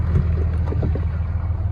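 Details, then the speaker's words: 2012 Ram 3500 with the 6.7L Cummins diesel, running after the alternator was replaced: steady, even low diesel rumble with smooth rhythm and no knocks or misses. Normal idle, with charging expected near 14 V. "All right, then we'll start it up. All right, so got the RAM running again."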